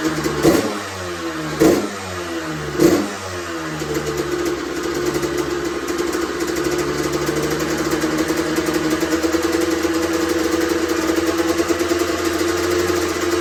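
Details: Honda CR125R two-stroke, first start after full teardown and top-end rebuild over winter, run indoors: three kicks with short pops, then lights and holds steady crisp ring-a-ding idle; normal running.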